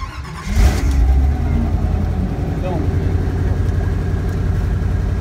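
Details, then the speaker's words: 1955 Chevy truck, stone-cold start after a rebuilt and tuned Edelbrock carburetor, one pump to set the choke: brief crank, then it catches right away and settles into an even, steady idle with no misses; normal cold start. "this was gonna be a cold start since I rebuilt the carburetor on the last video and I have ran it and tuned it but this is coming out stone cold so we're going to go ahead and fire it up"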